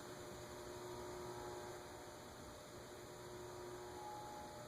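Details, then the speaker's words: Emerson (Sears) ceiling fan, model CF-523-L (possibly HF-523-L), 52-inch blades, slowed on a decade capacitor test rig at a very low capacitance setting; steady, noisy motor hum, not sawing, close to stalling. "it's noisy though I can hear it it's not sawing"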